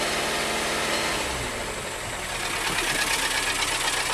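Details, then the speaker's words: 2012 VW Tiguan GDI turbo, about 4,000 miles after high-pressure fuel pump replacement, stalled on highway with suspected low oil pressure warning; started after oil fill and new belt: harsh rapid metallic clatter like a diesel, oil spraying, cause not yet pinned down. "Sounds like a diesel. Wow. See that oil spraying up there. Not a good sound."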